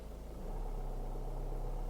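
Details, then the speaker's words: Manual car, no gas pressed, clutch lifted: idle pulses quicken and revs lift slightly as clutch takes up, then hold steady, car adding throttle itself; normal idle speed rise on clutch engagement. "listen to what the engine does when i lift the clutch can you hear that the engine revs listen to how it revs when i lift my clutch"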